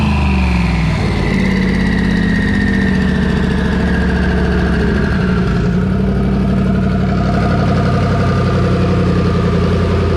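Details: Twin-turbo Coyote V8 held at high rpm under boost on a dyno after plugs were re-gapped from 0.019 to 0.016 in. The note is slightly uneven and faltering. High-rpm misfire; valve float from possibly stock springs is suspected.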